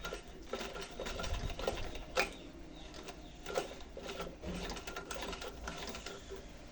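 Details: Household sewing machine on a test stitch after servicing a jammed machine and checking tension discs: even, quick clatter of needle and feed at a steady pace, no grinding or binding; stitches normally.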